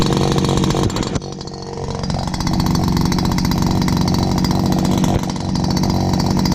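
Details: Dad's old backpack blower, about 39.7 cc two-stroke, choke only and no primer, first start of 2019. It picks up from a stumble into a loud, steady high buzz with one brief dip. Loud but runs really good.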